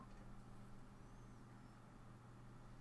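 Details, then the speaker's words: Stereo Step 120 portable cassette player (Walkman clone) powered up after repair: faint smooth motor hum, tape mechanism spins quietly with no catching or scraping. "just want to get it powered up and just see if I can get it to start without making that noise and this time it doesn't it spins and it's"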